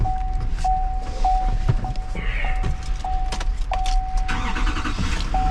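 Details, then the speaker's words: Duramax 2500 4x4 diesel pickup, 130,000 miles, start at auction yard: starts easily into an even, low diesel rumble with no knocks or misses under a door-chime beep; good oil pressure; normal diesel idle. "oh yeah like nothing baby it's a beautiful truck"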